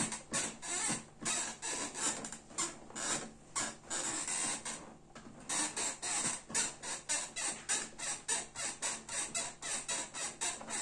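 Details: Cyberground GENESIS gaming chair, six months of heavy daily use: sharp dry creaks about twice a second with each rocking movement; the frame is creaking, exact joint unknown.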